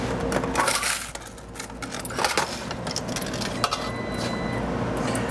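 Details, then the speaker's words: Laundromat dryer running: irregular metallic clatter and scraping as a front drum support wheel bearing failed and came off, letting the drum scrape the inner side of the door panel. "what it's doing is that drum is actually scraping on the inner side of this door panel is what you're hearing"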